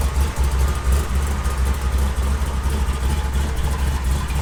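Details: 1972 Chevy K20 on 38s with 6-inch lift, built 510 big-block V8 in the truck about 11 years: deep, loping idle with an uneven chop about once a second; a normal cammed idle, running as it should.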